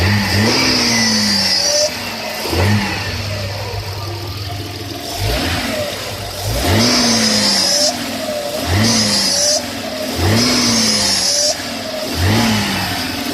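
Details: 1996 Audi A6: a very recent noise when accelerating or revving, a high whistling whine that rises with revs on throttle blips and fades at idle. Source unknown.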